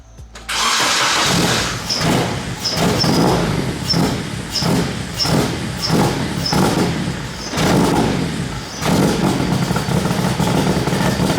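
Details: K24-swapped BMW E30, first start on a pre-installed base map with no tuning, new injectors, fuel pressure set between 40 and 60 psi: cranks, catches, then surges unevenly with small throttle blips; rough idle, later improved.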